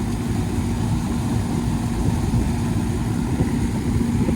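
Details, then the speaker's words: 1996 Goodman AC outdoor unit with R22, running again after a condenser fan repair: steady low hum and whoosh of the fan with compressor drone underneath, even and without clatter; normal running. "She's running, but it ain't near as hot as it was when it had no fan."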